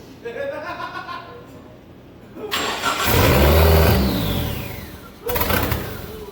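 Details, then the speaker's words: SRT-4 engine in a drift truck, first test start: lurches through uneven revs with ragged surges and dips, no settled idle, smoky; rough running because idle air control, TPS, intake air temp and O2 sensors are unplugged. "It runs like ass because not a single sensor is plugged in. The idle air control, the TPS."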